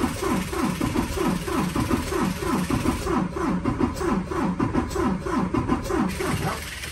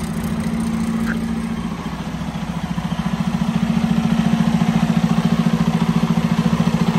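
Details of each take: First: 2019 Freightliner Cascadia DD15 diesel, 785,000 miles, engine noise complaint, cranking during a relative compression test: uneven, limping pulses; cylinders 4 and 6 at zero compression, 5 at 63%, traced to valves out of adjustment. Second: 2019 Freightliner Cascadia DD15, 785,000 miles, after valve adjustment: even, regular diesel idle clatter with faint air hiss from compressor line to air filter housing; engine healthy, different from before.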